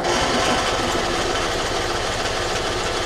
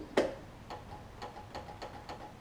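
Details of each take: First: John Deere LT166 riding mower with a retrofitted 46" deck, after sorting out its starting issues and solenoid cable: small single engine catches and settles into a steady, even putter, then picks up smoothly with no misses. Starts and runs healthy. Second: John Deere LT166 lawn tractor with starting issues, battery reading 12.4 V: one sharp click then light ticks about every third of a second, no cranking; suspected failing starter solenoid or battery.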